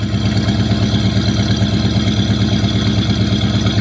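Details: 1973 Buick Regal V8 idling in freezing weather after sitting abandoned about 13 years: smooth even idle with deep steady burble, no skips, knocks or ticks; normal warm-up idle.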